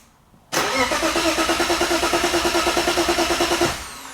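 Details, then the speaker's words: BMW boosted engine swap with EWS delete, first start attempt: even, healthy starter cranking about three beats a second for three seconds but never catches; no spark because the engine has no crank sensor fitted. "Here we go, boys. I don't think it's starting very clear. I don't think it has it. Maybe it doesn't have a spark."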